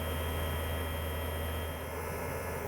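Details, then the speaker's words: 2008 Mercedes CL63 AMG dynamic seat system with the new air pump reconnected to the lines. A steady, low pump drone never changes pitch, so pressure isn't building. There is an air leak further forward, probably at the seat bladder. "Yeah, here it doesn't change change sound. Okay. All right, that means we need to investigate further forward. In the seats, probably."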